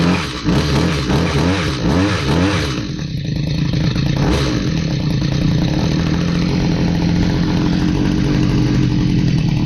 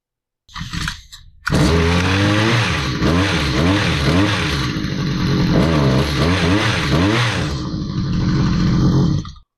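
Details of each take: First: Stihl HS45 hedge trimmer, long unused, two-stroke started after priming with fresh fuel and a new air filter following a customer tune-up: buzz surges and stumbles unevenly, then a ragged unsteady drone; runs poorly, needs more work. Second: Stihl HS45 hedge trimmer two-stroke after crimping a loose kill-switch terminal: steady buzz with a few revs up and down, then cuts out cleanly when switched off; kill switch now works, high-speed needle at limiter stop still needs adjustment.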